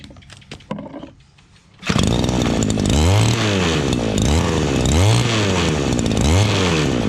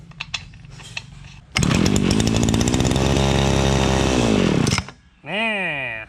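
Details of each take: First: Two-stroke shoulder-strap brush cutter that would not start, after fuel, spark and air filter/carburetor checks: a few clicks, then it fires up and runs strongly, revs rising and falling. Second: Two-stroke shoulder-strap brush cutter that won't start fires on a little hand-fed fuel, revs hard about three seconds, then cuts out, pointing to a fuel supply fault.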